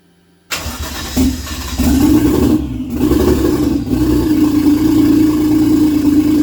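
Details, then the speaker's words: 1JZ engine swapped into a Nova, first start with Walbro 255 fuel pump and recently replaced, unset TPS: catches, then surges and hunts instead of holding idle unless floored; running very rich, getting too much fuel. "all right so I know I fast forwarded quite a bit but still kind of dealing with an interesting issue where um the engine is very rich basically it's it's basically seems like it's getting way more fuel than I feel like it should be getting"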